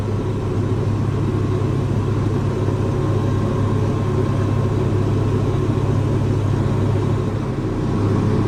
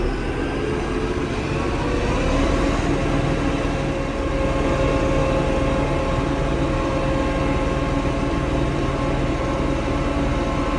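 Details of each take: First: Diesel tractor that had gone into limp mode (stuck at 1500 rpm, then died), after draining water from the fuel strainer and water separator, adding biocide and fresh diesel: steady, even rumble with no stumbles or misses; running much better. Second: Diesel tractor that went into limp mode, capped at 1500 rpm instead of 2500, and stalled: uneven, lumpy beat around four pulses a second. Rough running from water and slime in the fuel, found in strainer and water separator.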